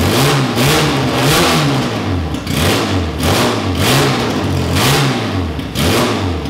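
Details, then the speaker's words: First start of a Classic Mini race car's Specialist Components 1293cc race engine with a big carb, no exhaust and no breathers, from cold. Sharp blips about once a second, revs rising and falling cleanly with no stumble. Snappy, free-revving, and idles well. "right so that was awesome to hear the engine running it sounds really Snappy when you wrap it up it's really free revving and um sounds like a race engine should"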